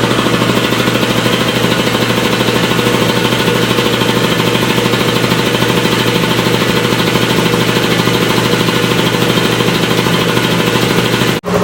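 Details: Air compressor with new head gasket, filling an 80-gallon tank toward 150 psi: loud, even pumping at a steady fast beat, no knocking, hissing leak or laboring; compressor sounds healthy after the repair.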